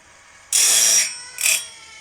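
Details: Woodland Mills RS30 Pro blade sharpener during adjustment: two short, thin, high-pitched grinding bursts as the wheel only grazes the tooth; head needs lowering further toward the gullet.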